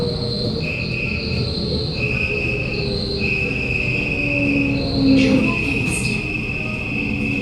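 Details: SMRT Kawasaki Nippon Sharyo C751B train 351/352, car 1351, in a terrible state, Bukit Gombak to Jurong East: sharp high-pitched squeal rising and falling over the rumble while decelerating; screeching most probably due to worn wheels.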